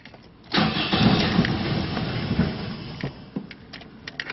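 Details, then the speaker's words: 2001 Toyota Echo 1.5 L with a junkyard replacement engine and a bad engine computer ground. It catches after cranking but runs lumpy and uneven, barely revs and fades toward a stall. The check engine light flashes, not misfire-related, and the scanner cannot communicate. "Having a hard time keeping it running. It barely revs up."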